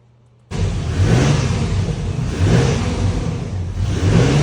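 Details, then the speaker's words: 2004 Chevy Silverado 4.3L RWD after a crank-no-start, with the distributor cap back on: a sudden catch into a steady, even low running note after a few more cranks; owner thinks it might have been flooded. "We're alive! Needed a few more cranks. It might have been flooded out a little."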